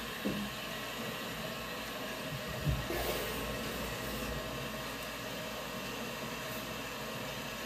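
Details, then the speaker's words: Niagara Stealth toilet (model N7714) after replacing the fill valve seal that caused hissing, slow refill and weak flush: strong flush, then an even, steady refill hiss with no whistling, tank filling quickly; fill valve working properly. "now filled up pretty quick i'm just going to check the water flow here a nice strong flush filling up quickly again and we're done"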